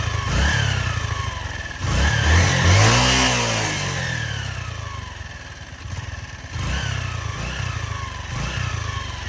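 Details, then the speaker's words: Honda CG Titan single-cylinder motorcycle in neutral: faint deep rattle under each throttle blip, growing with revs, heard near the engine; worn piston rings creating clearance are blamed. "Então, né, pessoal, tem barulho aí no fundo da moto aí, embarulho tipo num chocalhozinho, acelera, ali, dá uma dá uma aliviadinha, enfim, por que que acontece isso aí, né, galera? Os anéis estão gastos."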